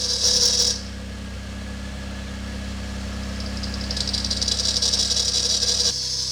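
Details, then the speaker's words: Acura TSX race car at cold start: shrill steady squeal over idle, louder at times; brake cleaner on tensioner pulley makes it louder, on alternator pulley it goes quiet briefly; accessory belt squeal. "Alright, so if I spray a little bit of brake cleaner onto the tensioner pulley, kind of really doesn't do anything, and actually kind of gets louder. If I spray it on the alternator pulley, complete quiet."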